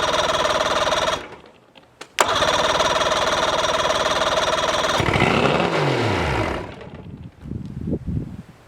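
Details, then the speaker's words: Mercury outboard starting after starter replaced and a bad battery changed: brief crank, catches right away and runs evenly before winding down; normal start and run. "Success. It runs, it runs. I had to change the battery."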